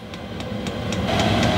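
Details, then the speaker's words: Chinese 5 kW diesel parking air heater in a motorhome, glow plug now out and fuel self-igniting, fan at maximum dosage ramping toward full temperature: steadily building fan roar over a soft, even combustion pulse, no misfire; normal running. "and now the glow plug has gone out, the fuel is in effect self-igniting. Fan's at maximum dosage, and we're ramping up."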